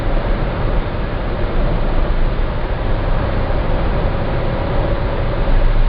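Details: Citroen C4 Grand Picasso driving at about 1700 rpm under light load: deep steady 28 Hz drone, once per crankshaft revolution, stops with slightly more or less throttle; dealer calls it normal, owner doubts it.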